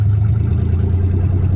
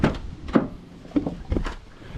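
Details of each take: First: Nissan 300ZX with engine just swapped in, first start, open downpipe with no exhaust: deep uneven drone with drops in exhaust beat, won't rev cleanly; misfire, owner suspects old bad gas. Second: Nissan 300ZX with a 1990 engine, cold, after fitting a replacement OEM MAF: brisk, even cranking, about three turns a second, spinning faster than before, then it catches and runs; still a slight cold miss blamed on valves needing heat to seal.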